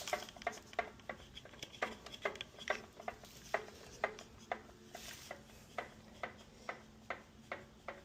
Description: This one had a knock noise, it ended up coming from the lifters. I did oil change and general maintenance and the noise went away.